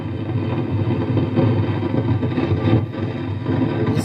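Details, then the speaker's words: 6-inch home theatre playing music over Bluetooth: the music is smothered by a heavy low rumble and crackly distortion, like a badly tuned FM radio; internal fault not yet identified before opening. "Music सुनाई दे रही है दोस्तों लेकिन audio सही ढंग से नहीं ए रही है आप देख सकते इसमें ब्लूटूथ कनेक्ट है और कैसे ही उसकी ऑडियो हर हर करके वीडियो जैसी आवाज़ ए रही है उसमें से"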